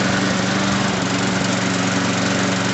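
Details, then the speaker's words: Lawn mower after a complete tune-up, carburetor work, fresh oil, a full tank and priming; the engine runs at a steady speed with a smooth, unbroken buzz, no misses or surging; normal running. "Okay. Alright, guys, the machine's working good."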